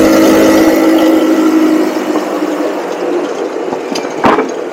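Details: Cheap buggy's small engine during carb tuning at full throttle; loses its note and sags after two seconds with a few pops; intermittent cutout, cause unconfirmed; owner will recheck the spark plug and suspects the CDI.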